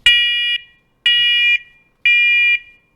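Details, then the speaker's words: Wireless interconnected smoke/CO alarm test after fitting a new battery, before the battery door lock goes in: three loud, shrill half-second beeps, one per second, in a quiet room; the alarm sounds properly. "close it up and do a quick test of the smoke alarm before you put your battery door lock in place"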